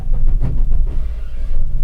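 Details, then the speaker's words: 1997 Chevy Express G30 cargo van, starter before replacement: rough, uneven, low grinding and groaning surges while cranking instead of a clean, steady spin. Failing starter motor. "You can hear the starter making some pretty awful noises."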